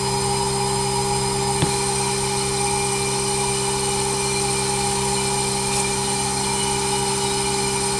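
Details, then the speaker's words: Outdoor heat pump unit in a system upgrade, newly installed with an anti-surge protector, running very quietly: a steady, even hum and smooth fan whoosh with no rattles or knocks. Normal heat pump operation. "Man. What a flippin' beauty. Barely hear it running."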